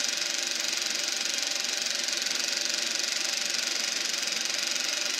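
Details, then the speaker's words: Eberspacher B1 gasoline heater from a VW Beetle, bench test fire on second attempt: steady, even hiss and roar of the flame, no popping or sputtering; normal combustion heater operation. "I don't know if you can hear that, but you can hear that the flame inside there. Now we're cooking with gas."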